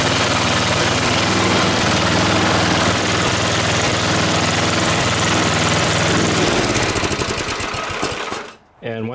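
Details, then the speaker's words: Snowblower started and run after replacing the primer line (routed without removing the wheel; primer ball confirmed pumping): loud, even rapid firing holds steady several seconds, then winds down and stops; normal start and run. "once you're done working on some equipment guys you always want to start it up to make sure everything's okay"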